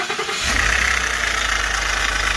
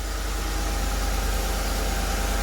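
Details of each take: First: Ford F-150 at idle after start: steady raspy chirp over the engine from a loose plastic idler pulley with lots of play, running on a shredded accessory belt; tensioner and harmonic balancer were suspected first; worn idler pulley. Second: Ford F-150 after rebuild, with a replacement belt-side part: steady, even idle with low rumble and no squeal, chirp or rattle from the belt; quieter, normal idle.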